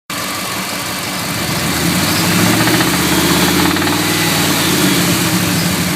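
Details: A 5.4 2V V8 idles with a steady knock running through it, about four beats a second: engine knock at idle, cause not yet found.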